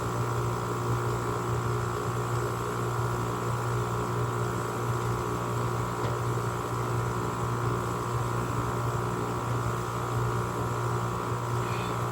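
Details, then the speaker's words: GE 5150 window air conditioner (model AGR05LJG1) with an LG rotary compressor, started after sitting a while: compressor kicks on into a steady, heavy, loud electrical hum, angrier than a rotary should be, like a Gold Star; not cold yet. "Oh, this is an LG rotary. Compressor on these units are not really supposed to be angry, but it tends to be it is. Sounds like a Gold Star right there."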